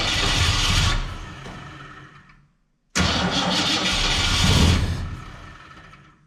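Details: 1967 Ford Fairlane, not run in 7 years: cranks, catches briefly, revs unevenly and dies, then repeats. Won't stay running; owner unsure whether it is fuel, carburetor needs a rebuild, and he plans to check the valves.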